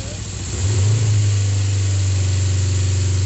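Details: Kawasaki GPZ 500S 498cc carbureted twin, freshly serviced and rebuilt, warming up: settles from a blip into smooth even idle, steady low beat, no knocks or misses; normal warm-up idle.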